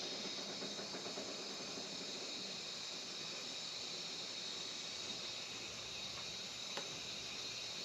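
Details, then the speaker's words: 1973 Peterbilt 352 cabover with 12V71 Detroit Diesel, first run since 1984: steady, even high hiss throughout from a busted air brake line, leak too large for the system to build much pressure. "i don't know if you can hear it there's a busted line but that's about all we're going to do for air leaks today um get the cab down well i was like trying to go there you can still hear it just too much of a leak to actually like make much pressure"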